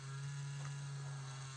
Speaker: sorry, that's my laptop. If you can hear that buzzing. I need to fix the fan on it, or have my husband fix the fan on it.